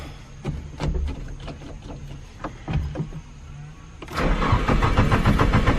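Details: Nissan 240SX SR20 just fitted with an EMUSA eBay exhaust, not yet fully tightened: cranks, catches, then a loud raspy idle with puffing pulses; owner suspects an exhaust leak or the loud muffler.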